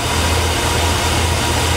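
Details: Engine running from an external diagnostic fuel tank at about 40 psi (spec about 60) on a vehicle that cranked but wouldn't start; starts and settles into a steady even hum, no misses or knocks; normal idle.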